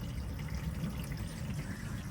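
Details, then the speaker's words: Underslung water tank on a VW LT35 campervan filling through open valve under hose pressure: steady low gurgle and trickle, no hiss or spray; no leaks, level sensor rising, filling normally. "Let's have a look if there's any leaks. Right, we've got no leaks. The tank is filling up."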